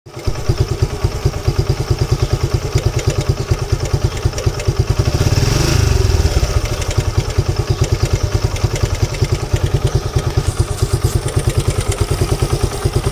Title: Gixxer timing chain noise